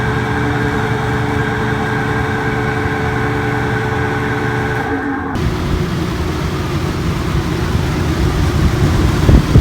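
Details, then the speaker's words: RV rooftop air conditioner fan on high after the noisy motor was replaced, recorded at the discharge vent: steady, even rush of air with no squeal or scream on top. Blower motor healthy. "there you have it you can hear how big of a difference that is you just got air noise now there's no other uh no other background noise just not screaming like it was before"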